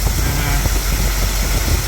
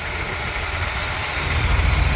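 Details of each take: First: 1959 Cadillac Coupe Deville V8 with a carburetor due for rebuild, on new plugs and 8mm wires: deep idle with an irregular lope and stumbling beats, running a little rough; vacuum gauge suggests late ignition timing. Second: 1959 Cadillac Coupe DeVille V8 idling after carburetor tuning: even, steady low rumble, roughly four pulses a second, no miss or stumble; normal smooth idle.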